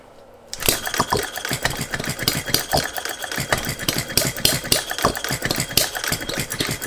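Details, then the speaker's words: Philip Duclos Odds n Ends hit and miss model engine with new single O-ring piston replacing cast iron rings; fires quickly, then beats come uneven in spacing and strength: lumpy running, owner suspects a timing issue. "slight improvement it feels a bit lumpy does that so i think there might be a timing issue"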